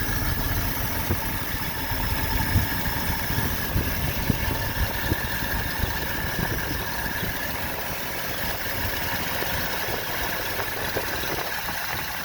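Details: 1970 Ford F250 360 FE V8, carb of unknown make (owner suspects wrong carb, for smaller V8), tuning idle screws with vacuum gauge around 15: steady low idle, slightly uneven lumpy beat and hiss; rough idle, mixture not yet right.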